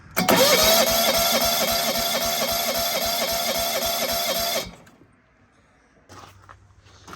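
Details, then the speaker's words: John Deere 165 Hydro lawn tractor cranking after a second igniter chip was fitted, spark still poor: steady cranking at about four turns a second for four seconds with no catch; the open ignition coil secondary gives no usable spark. "Doesn't seem like it had a little better spark. We're gonna see what it'll do. Of course, now whenever I actually hook it up, doesn't look like we had a very good spark."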